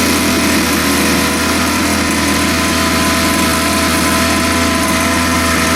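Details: 47cc Chinese-made two-stroke pocket bike on oil-mixed gas, running after its carb jet was cleaned for no-start and bogging: a loud, even small-engine drone holds steady throughout with no misses.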